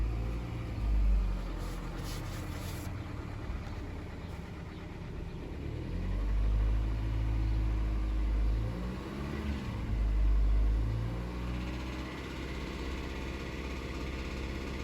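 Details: 2011 Kia Forte petrol engine running with a faint, fairly even light tapping about three per second, slightly more noticeable after 5,000 km more driving; owner suspects piston slap or lifter tick.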